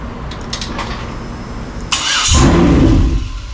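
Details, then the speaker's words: 2003 Yukon 5.3L LS being swapped into a 1994 C1500, run on the engine stand: the starter clicks and cranks, it fires on all eight and roars about a second, then dies and won't stay running. The body control module was unplugged. "that sounds nasty good it won't stay running"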